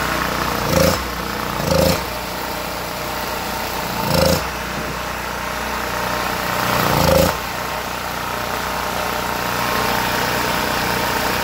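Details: Generac GP1500 generator after cleaning its gummed Huayi carburetor, which had sat with fuel in it: small engine running at a steady, even speed with no surging or hunting.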